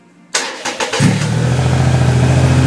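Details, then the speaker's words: 2008 Triumph Rocket 3 after the starter relay mod, on a borrowed battery: short burst of cranking catches within a second and settles to a steady, even idle with no clicking; quick, clean start. "that was quick that was quick all right don't mind the mess um alrighty well it looks like a bloody winner that does terrific"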